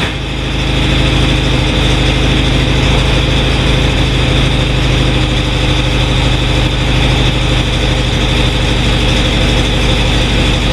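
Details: 1967 VW, unstarted for about a week: loud, steady chugging idle with an even beat and a hint of revving; fired up and runs fine, normal running after start.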